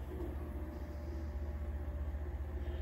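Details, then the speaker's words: Land Rover Discovery XD with a replaced fuel pump, hot-wired to a jump pack, and a mouse-eaten fuel hose replaced; switching ignition on runs the pump with a steady low electric hum, fast even pulsing, returning to tank, no leak. "now if i flip up the ignition switch it should turn the fuel pump on i can hear it running i don't hear it leaking on the ground this time i can hear it pumping back to the tank now"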